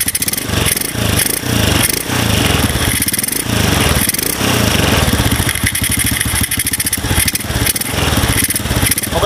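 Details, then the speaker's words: Honda Supra with 53 mm bore-up and RVN Pro camshaft with racing valves; quick, even exhaust pulses at steady idle with no ticking or knocking, only carb intake noise; sounds smooth like stock; normal idle. "Bro ya bisa didengar sendiri suara mesin halus seperti motor standarnya Supra ya suaranya halus kayak bukan motor b Upan atau motor modifikasian ya"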